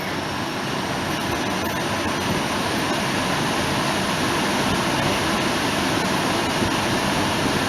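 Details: 2005 Volvo S40 heater blower motor just after the new one was installed: a steady, even rush of air with no squeal, ticking or rattle. The earlier loud noise is gone and the fan spins normally.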